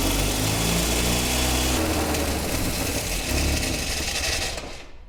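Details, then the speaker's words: 1977 Triumph Dolomite not run in years, carburettors unadjusted, choke held by hand: runs rough and uneven on choke, then sags and dies within seconds once choke released and throttle applied; won't idle, stalls off choke. "right so we've got a bit of a problem here idling the car does not want to idle as soon as I let go of the choke and get on the throttle cuts out and this just kept happening"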